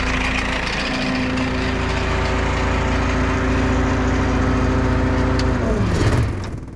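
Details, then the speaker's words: Farm truck diesel at idle: loud, rough growl with a raw, unmuffled bark and rattling, then the engine winds down; the muffler has broken again, letting exhaust through. "u guys hear that rattling i think a multiplayer the bolts on a muffler broke again we've had that happen before just sit there make a real loud growling noise"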